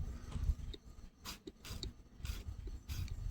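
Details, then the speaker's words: Short airy hissing puffs as vacuum is pumped to the coolant pump shutter actuator on a 2013 Audi A6 3.0T's OEM water pump, off the car; the actuator leaks and the shutter won't move. "You can hear it hissing. It's not budging."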